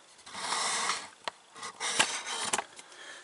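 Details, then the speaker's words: VW Polo Sedan front brake calipers rocked by hand: sharp metallic clacks from rattling calipers, often mistaken for worn stabilizer bushings; anti-rattle springs to be fitted to the caliper brackets. "это гремят суппорта передние многие думают что это втулки стабилизатора разбитые"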